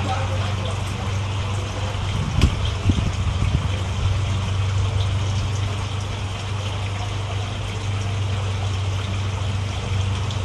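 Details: SP370 single-cylinder motorcycle, first fire-up after fitting a new valve and retainers, with compression and spark confirmed: a low, steady engine drone holding even for ten seconds with no knocks or misses; running normally.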